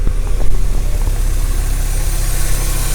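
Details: Mazda Miata, running after its first start in over a year; owner has checked the engine bay as fine so far. Steady, even low idle with no knocks, ticks or misses over the whole stretch. A normal idle.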